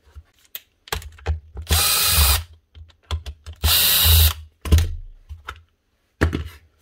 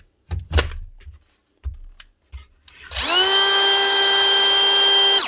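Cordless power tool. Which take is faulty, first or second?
first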